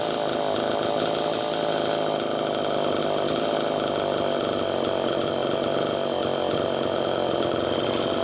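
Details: Allen's Super EZ chainsaw with Walbro HDC carburetor, test run after carb rebuild: steady high two-stroke buzz holding evenly at idle without surging or dying. Low-speed screw was set too lean, slowing priming; tip test unchanged, crank seals likely fine.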